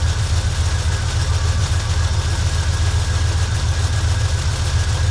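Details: Engine just started after fitting a replacement Carter fuel pump, the previous new pump having failed within 10 miles: steady, even low idle with smooth beat, no knocking or ticking; sounds healthy.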